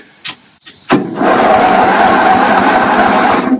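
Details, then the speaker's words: Toro 8-32 riding lawn mower, engine reinstalled, fuel turned off, compression low around 55–60 PSI: even, steady cranking about four pulses a second for over two seconds, no grinding or slipping; normal starter cranking. "oh you know what I should probably turn the fuel on but as you heard it does crank so that's good"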